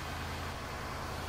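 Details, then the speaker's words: 2022 Ford F250 Tremor, 7.3 Godzilla V8, just after spark plug replacement: steady even rumble with smooth low drone, no knocks or misses; normal cold-start high idle. "Doesn't sound bad to me. It's got the cold start, high idle."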